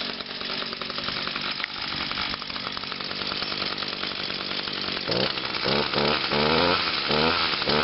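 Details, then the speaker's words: Two-stroke machine on TruFuel, started on choke with five primes: a crisp, high buzz holds steady, then picks up cleanly with throttle blips. It runs better and cleaner since TruFuel, with no smoke. Normal running. "echo oh yeah I think since I put the true fuel gas in this machine it runs a whole lot better and it runs cleaner too it doesn't even smoke at all"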